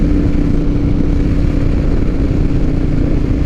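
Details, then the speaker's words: 2007 Harley-Davidson Night Train V-twin, riding after fixing holed fuel line inside tank and weak fuel pump: deep, even roar held at high revs with no flutter or misses, where it previously fluttered at the top end. "Yeah, even when the tank was full, when you'd get up to some of these higher RPMs up in there, yeah, this is how it's supposed to run, people."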